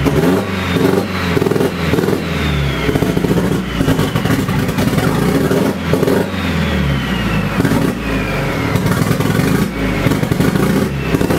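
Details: Nissan SR20DET first start after 1.5 years sitting; startup map and ignition timing not set correctly: it catches and runs unevenly, revs rising and falling without settling; rough running.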